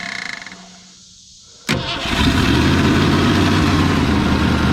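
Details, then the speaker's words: 1963 Ford Fairlane 500 with a 260 V8, first start in 14 years on fuel in the carburetor. It catches with a sharp bark after a brief crank, then settles into a steady, even idle with no misses; the throttle return spring is loose and sticking. "That 260 sounds good, old man. Oh, leave it. She's idling."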